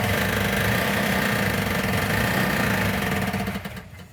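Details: 1970 Plymouth 'Cuda 340 starting after the missing fuel sending and pickup unit was found to be the cause of no fuel: rough, uneven running with a tinny metallic knock about four times a second, traced to the flex plate rather than engine internals.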